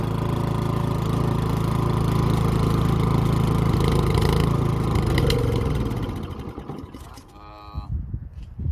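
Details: Toro 1000 Snow Series snowblower, unused 2–3 years and not starting, electric start with choke on before carburetor cleaning: engine catches and chugs unevenly for several seconds, then fades and quits near six seconds; rough running after sitting, cause not confirmed.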